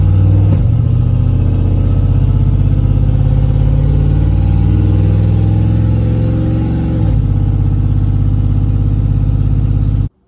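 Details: LS-swapped daily driver V8 after repairing a long-ignored driver-side header leak at the flange against the head: deep, steady burble with no puffing or ticking; the leak sounds fixed.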